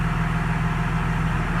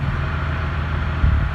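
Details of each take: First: 2017 Cummins with a G56 manual gearbox and Valair organic dual-disc clutch, idling after the ATF+4 was replaced with 7 quarts of Mobil Delvac 50; steady low diesel idle with the earlier gear rollover noise now almost silent. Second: 2017 Ram 2500 Cummins diesel, G56 manual with Valair quiet dual disc clutch, stock ATF+4 before Delvac 50 swap, idle clutch out: low loose gearbox rattle, gear rollover noise.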